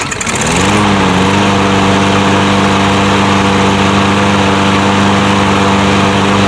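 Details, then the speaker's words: Troy-Bilt 150cc mower engine after bolt tightening and linkage fix. Catches on the first pull and settles into a steady, even drone with no misses or surging. Normal running. "and that's the first pull so this thing is good to go"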